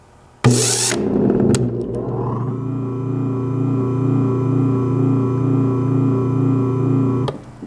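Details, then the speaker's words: 1920s Century repulsion-start induction electric motor, troubleshooting no-start hum, shorting necklace suspected not contacting: clatter at switch-on, then loud low hum with steady pulsing warble as it hangs between start and run; unhealthy. "So we're better off, but it's still... it sounds pretty unhealthy. So we're going to take it back apart again. It shouldn't go through that neutral point between starting and running that you hear."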